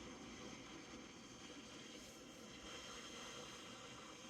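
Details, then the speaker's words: Zacme DC-motor stand mixer after its kneading timer shuts the motor off: a soft, steady, airy whir continues until the power is switched off, believed to be the internal cooling fan running on. "Interesting, you can hear it. That is so different. I wonder if that's the cooling thing that's inside that I'm hearing."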